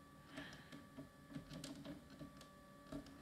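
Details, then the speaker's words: Dirty scrapyard optical drive with brittle plastic: a faint, thin motor whine and soft clicks as the tray strains but won't travel in or out; the internal rubber band is suspected to be too weak, possibly fixable. "come on go back in I have to help it a little bit but can you get out no it just is too weak"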